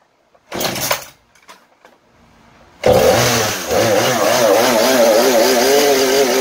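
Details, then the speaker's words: Husqvarna 435 chainsaw that would not hold idle and died at high speed, run after adding fresh mixed fuel: starts after a short silence, steady run revving up and down cleanly without stumbling — bad old fuel was the cause, saw now healthy. "Tôi nghĩ rằng phản ứng của động cơ là tốt. Sau khi kiểm tra khởi động, máy trong tình trạng tốt."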